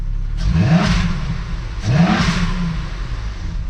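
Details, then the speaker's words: Jetta wagon, stock exhaust and stock except for a cone filter; two quick throttle blips, each with a rising whir and a loud airy rush like a supercharger; healthy engine, just induction noise. "it almost sounds like it's like supercharged like whoosh that sounds crazy what mind you this is a stock car stock exhaust stock everything minus our cone filter"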